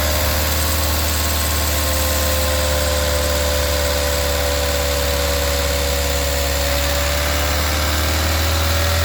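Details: VW 1.4 TSI CAXA engine at idle: constant light clicking rattle, turning to a rough idle, from the timing chain with a broken chain guide and skipped teeth; fixed by replacing the timing chain set and oil pump.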